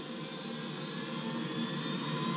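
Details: Navien NCB-240 combi boiler making a loud vibration noise: during the fan test the fan whirs steadily, climbing gradually in pitch and loudness as it ramps up to about 6,000; source of the noise still unconfirmed.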